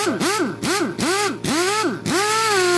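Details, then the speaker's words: Chicago Pneumatic CP734 1/2-inch air impact wrench after flush with Marvel Mystery oil and refill with SAE 30 non-detergent oil, previously clicking: short trigger pulls rise and fall smoothly to an even spin, smoother and quieter; clicking gone, normal free running. "It's not clicking anymore. My compressor's not enough to really keep up with these things, but I can just tell they're a lot smoother and a little quieter too."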